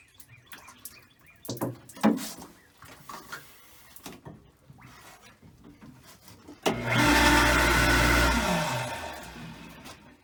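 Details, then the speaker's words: Water system pump, reinstalled after its frozen impellers were freed, during priming. A rough roar rises, then sags in pitch as it strains to draw water, because too much air remains in the suction line. "that sound a little different to you that's how it'll sound when it's actually trying to draw water so it's trying to draw but there's still too much air in it"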